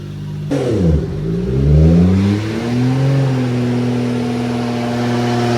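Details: Nissan R34 GT-R being tuned on a dyno: the engine sweeps up smoothly and holds a clean, even drone under full load with no misses. Power went from 563 to about 652, with new compensation tables and a new sensor; healthy.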